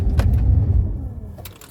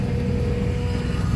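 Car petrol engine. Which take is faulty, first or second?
second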